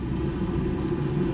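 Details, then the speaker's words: 2011 Ford F150 during a power-draw test with an Autel high-amp clamp on the battery-to-fuse-block cable: steady even low whoosh and hum from the blower motor with no surging, scraping or ticking; the blower is the draw and runs normally. "Obviously we can hear the blower motor. We know that it's pulling the power. That's where the power draw is."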